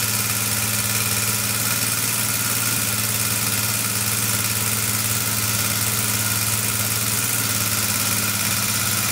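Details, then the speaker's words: Rebuilt Honda 400EX single-cylinder idling with a quick steady tick over a raspy exhaust puff; exhaust leak from a bolt needing tightening, and tightening the cam chain didn't cure the tick, so a valve is suspected and valve clearances will be checked. "tightening the cam chain doesn't seem to get rid of the tick so maybe it's a valve"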